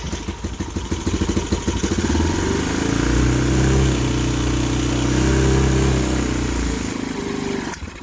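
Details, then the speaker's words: 2015 Bashan Storm 250 single, choke fully on, run from a near-empty tester tank: chuffs at idle, revs steadily a few seconds, then dies abruptly. Stall from fuel starvation; starter works fine. "and i've run out of gas like i said this uh this tester tank did not have much in it so i'm gonna have to go get some more fuel"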